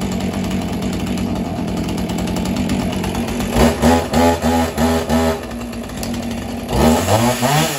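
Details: Husqvarna 445 chainsaw, unused over 10 years, about a minute after first start to let the carburettor diaphragms fill: the two-stroke idles rough, then revs cleanly in short blips to high rpm and drops back.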